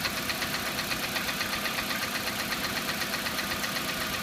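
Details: Hyundai G4EE engine at a steady idle with a sharp, even tick about four times a second riding on top: a clear engine knock of undetermined cause.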